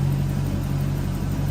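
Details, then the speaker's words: Toyota Soarer / Lexus SC400 1UZ-FE V8 after fixing no-idle issue, headlights on while ECU relearns: revs pick up then level off into a steady, even idle with no misses or knocks; sounds healthy. "So the ECU is basically picking up timing and everything else where everything is. So that sounds healthy."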